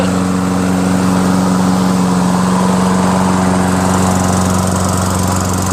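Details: Toro Recycler 22-inch self-propelled mower, 6.5 HP Tecumseh, after clearing oil hydrolock and a carb clean with new needle, float and gaskets, on fresh gas. Even, steady drone with no misses or surging: normal running.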